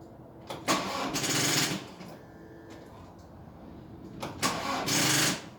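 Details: Old diesel in winter after several days sitting; two sluggish cranking attempts of about a second each that never catch, as the dead battery hasn't enough charge to spin it over.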